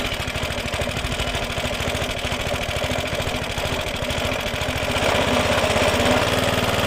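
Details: Suffolk Punch mower after fixing a locked-up drive, carburettor flooded to start: steady, even single-cylinder beat around three firings per second, picking up slightly; runs cleanly.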